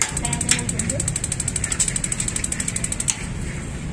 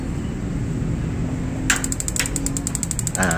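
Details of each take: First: Magnet-type gas water heater tested without gas: rapid sharp ticking of spark igniter with solenoid clicks over low hum; ignition circuit working normally after long disuse. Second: Gas magnet-type water heater with the thermostat socket disconnected to simulate a fault: the valve clicks open, the igniter keeps ticking about ten per second, but the safety cuts the gas after a second; open (broken) thermostat.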